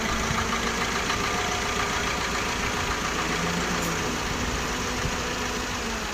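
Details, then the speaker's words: Maruti Suzuki Ciaz, left front wheel jacked up and spun by the engine at 60+ km/h while diagnosing a loud noise: smooth even whirr, no grinding or rumble; normal wheel bearing. "अब यह वाला इस wheel को हमने 60 plus घुमाया है इसका जो साउंड है बिल्कुल नॉर्मल है"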